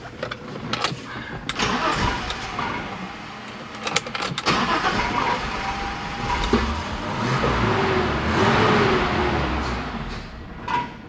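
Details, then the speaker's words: 1987 BMW 325i E30 that sat after a paint job; fuel pressure restored to almost 40 psi: fires on starting fluid, surges briefly, then dies instead of idling; injectors suspected dried up, not confirmed. "Doesn't want to stay running. It's fine."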